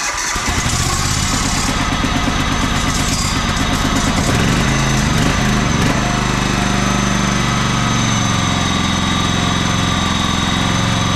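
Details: Auction John Deere LX186 riding mower, 17 hp Kawasaki engine, first start on jumper pack: catches after a few seconds, settles into a steady, slightly uneven putter with a little smoke; owner suspects overfilling from repeated choking, float bowl to be checked.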